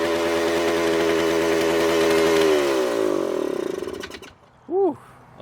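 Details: Suzuki TS400 Apache two-stroke, sat outside for years, first start with carburetor untouched after two kicks: screams at high steady revs, then sags and dies when shut off. Runaway, shut down before it got out of control; air leaks to be checked.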